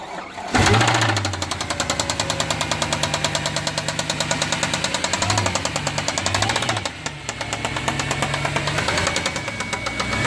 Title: C63 Loud Engine rattling noise